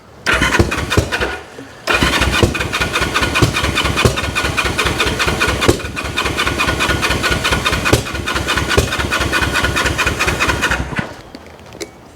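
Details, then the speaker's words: 1974 Honda CL450, first start attempt after 25 years stored, with fuel in it and battery on a charger: steady brisk cranking with a few ragged catches that never pick up into a run; air boxes and carbs checked next. "so let's hit the button hey oh that's getting there oh that's wanting to come on turn that"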